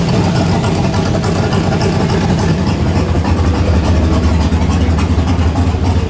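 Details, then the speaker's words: Turbo truck before dyno tuning, first start in a week after a MAP sensor fix: loping, uneven idle with a deep pulse about three and a half times a second, holding idle. The new cam is not tuned yet. Rough idle from untuned camshaft. "because we still have the new cam in there that's not tuned yet so so it's still going to run a little rough but at least now it'll idle"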